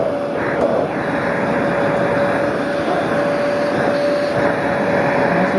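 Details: Small Bissell household vacuum, motor reassembled after running uncovered (warm after use), switched on again: steady whooshing airflow and constant motor hum, no surging, rattles or scraping; runs normally.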